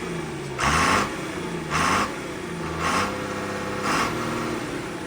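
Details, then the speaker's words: John Deere 4850 tractor diesel that was smoking and losing power, after the injectors were fixed and the fuel lines bled: steady diesel clatter at idle with slow, smooth rev swells and even firing; sounds normal again. "And it sounds like the John Deere again. Yeah, that's what I noticed as soon as she popped off. It sounded normal."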